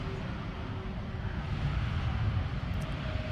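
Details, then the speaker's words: About 23-year-old Neon (2000), engine just reassembled, cranked by key on and jumping the starter: low steady rumble with even beat, nothing knocking or rattling; engine runs smoothly. "Uh, I got the engine back together and it's good to hear it run."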